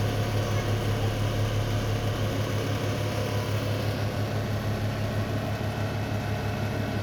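Loud low hum with a steady pulsing buzz about three times a second; the hood fan is vibrating noisily while running.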